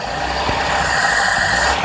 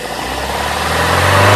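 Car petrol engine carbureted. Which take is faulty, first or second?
first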